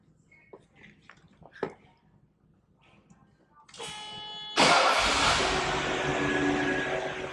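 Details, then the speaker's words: 1981 Mercedes-Benz 380SL V8, given a double timing chain upgrade early in its life, starting up: a brief crank, then a smooth, even fast idle, quiet, with no chain rattle or slap. Normal idle. "Quiet and nice. Nice idle."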